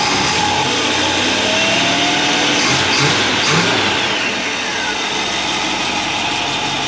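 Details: 1955 Chevy wagon, fitted with a Griffin radiator, electric dual fans and front disc conversion, first start of the day: catches and revs up cleanly, then settles into an even, steady run with no misses or knocks. Normal cold start.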